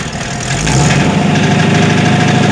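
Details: Ford Bronco with a 418ci 351W-based stroker (TrickFlow 205 heads, about 527hp), DynoMax VT valve mufflers, 2.5in dual exhaust with no crossover. Revving above about 1500 rpm gives a loud, raspy, booming exhaust drone with no valve rattle.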